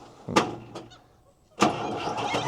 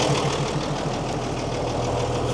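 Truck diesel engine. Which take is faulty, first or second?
first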